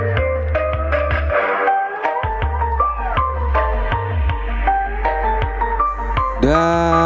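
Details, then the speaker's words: Restored 15-inch Randal speaker with a new voice coil, test after repair with amplifier tone controls flat: music plays loud and clean with deep, solid bass and no rattle, buzz or distortion; the driver sounds healthy. "Oke Mantap ya untuk suaranya teman-teman untuk low mantap sekali ya gunakan headset agar lebih jelas lagi untuk bnya ya teman-eman"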